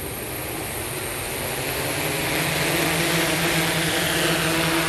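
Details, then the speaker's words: SuperX-controlled 1100mm hexacopter that tipped on takeoff, fix being lower CG and attitude mode: in attitude mode the rotor buzz builds evenly as the motors spool up with no stutter or surging, a smooth, normal takeoff. "that was better that's in attitude mode let me take it up out of ground to them let's try that again that was a little better"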